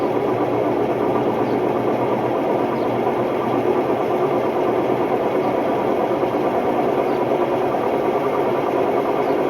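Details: Hotpoint Ultima WMD960 washing machine on test spin: loud, constant rumbling roar with a rough vibrating edge throughout, from bad drum bearings.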